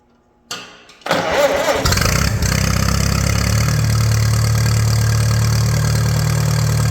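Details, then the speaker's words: 1941 Case SC tractor, run without coolant: cranks, catches after a second, settles into steady low even idle, no knocks or misses; carb still needs tuning, no fuel leaks, 30 lbs oil pressure, sounds good. "I knew this thing would run I knew it sounds good I mean I got to play with the carb a little bit but it's not leaking gas out"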